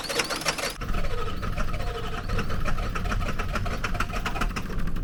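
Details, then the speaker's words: Diesel truck after high-pressure Schrader bleed released air, with new batteries: quick, even cranking with faint puffs that never pick up; air in the fuel system keeps it from starting. "oh man it's so close to starting you want to check I'm gonna bleed that again air anfield came out that time is this the time it's gonna start it's cranking way faster with new batteries"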